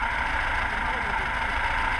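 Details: Carbureted VAZ 2106 (Lada) whose idle became unstable a couple of days ago and periodically stalls; unplugging the idle solenoid valve changes nothing: unsteady, hunting idle with a ragged low rumble, from a clogged carburetor idle circuit.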